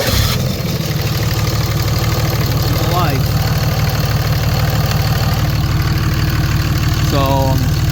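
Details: 2006 Dodge Ram 2500 5.9 Cummins diesel running after bypassing a suspected bad relay to fix a no-crank, no-start: even diesel clatter at a steady idle with no misses or stumbles; running healthy.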